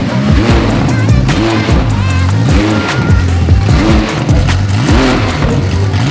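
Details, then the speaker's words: Rebuilt Ferrari F430 V8 after its cam sensor plugs were swapped back: crisp throttle blips rise and fall cleanly, running on all eight cylinders with no stumble, flames still coming from the exhaust. "that run way better still flaming out there"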